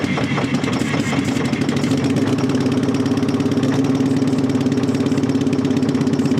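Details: Terex 80-20 diesel, run after sitting 30 years: loud clatter settling into a lumpy idle with uneven pulses; it seemed to start to move while blasting oil out, earlier seen slobbering; rough running, cause unclear.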